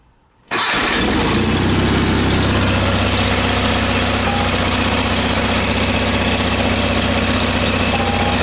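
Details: John Deere 318 lawn tractor after starter repair, with a gap set at .018 in by feeler gauge: quick crank, catches at once and settles into an even, steady idle with no misses or knocks; a normal start.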